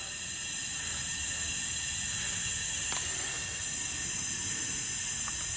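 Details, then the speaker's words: Flatbed trailer air suspension with new airbags and a new height control valve, lines rerouted correctly: steady high hiss of air venting from the valve exhaust, no chatter or sputter; exhausting normally. "all right folks so everything's working like it should you can hear the air coming out of the height control valve is doing what it's supposed to"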